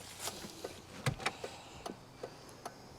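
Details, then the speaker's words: Abandoned Audi five-cylinder with 108,000 miles, engine off: a quiet, steady tick-tick of the hazard flasher relay, about two to three clicks a second, with the hazards on. "No, the hazards are on. The hazards are on. Yeah. Oh god. Yeah. I can see them flashing."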